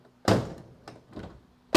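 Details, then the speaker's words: Old Dodge Charger crew cab restoration: door shuts with a deep, dull thump, not a crisp latch click, then lighter knocks; door misaligned with striker, door lifts when opened, caused by slightly sagging damaged right front structure. "Hear that thump, that deep thump. That means the door isn't aligned anymore. It's not aligned with its striker, which means the front of the car."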